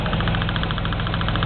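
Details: Car engine at a steady warm idle: quick, even light ticks, roughly thirteen a second, from the top end. The engine is also moving more than it used to, and the owner has no idea where the tick comes from.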